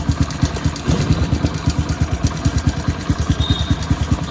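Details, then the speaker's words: Hero Splendor motorcycle at idle: a loose, uneven knocking rattle on each firing beat from the upper engine. The owner suspects the timing chain, already replaced twice; cause unconfirmed. "फिलहाल य गाड़ी काफी आवाज कर रही है timing चैन में इसकी दिक्कत हो रही है"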